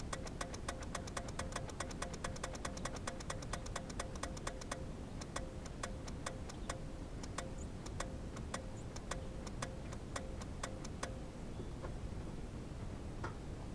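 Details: Geo Metro at 65°F on jump boxes after carb cleaner, battery showing three of four bars; rapid even clicking about three per second with no cranking; owner hopes the starter isn't bad, cause unconfirmed.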